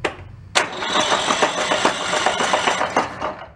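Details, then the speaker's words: 15–20-year-old Toro riding mower, Kohler Command 18 hp engine that locked up while vacuuming leaves: the starter drags it over in uneven, labouring lurches with metallic clatter and it never catches. Internal engine damage; possibly the governor let go. "don't sound good yeah it's got some internal issues let's get the flywheel off of it"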